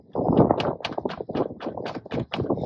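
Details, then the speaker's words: Suzuki Grand Vitara rear parcel tray refitted; when driving over bumps or potholes it gives hollow plastic clacks in quick bunches; irritating parcel tray rattle. "तो जब ये चलती है धज की वगैरह आती है या कोई वो आता है पैथ होल तो ये इस तरीके की आवाज करती है तो रे बड़ा इरिटेटिंग लगता था इसलिए मैंने उतार के रख दिया था"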